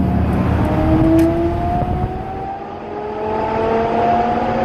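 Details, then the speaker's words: 2000 Dodge Ram 1500 driving: steady hum rising and falling with road speed over tyre noise, differential gear whine from worn ring and pinion teeth with sharp worn edges. "2000 Dodge Ram 1500, un problema en el diferencial, haciendo un zumbido, no sé si lo alcanzan a escuchar."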